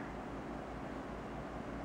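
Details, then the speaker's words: 400 W computer power supply's 120mm 12V 0.38A fan slowed with a 50 ohm in-line resistor on the red wire: only a soft, even airy whoosh, barely audible, no ticking or rattle, still moving plenty of air. "he resistor onto the two ends of the wires and that made the fan slow down considerably it doesn't make a lot of noise in fact you can barely hear it"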